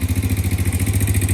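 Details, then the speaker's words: Honda TRX90 barn find after CDI swap and valve adjustment, idling: steady pulses about fourteen per second with light clatter each beat; owner thinks valves could be tightened; bogs or dies when stabbed off idle. "It sounds like maybe I could tighten them up, but she's running idling."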